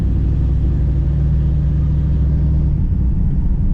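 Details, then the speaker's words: Chevrolet Camaro Z28 after a simple fix, at idle and slow neighborhood driving where it always used to pop: even, deep exhaust rumble with no pops or stumbles; the engine pulls smoothly and runs normally at low speed. "Oh no, she's doing good."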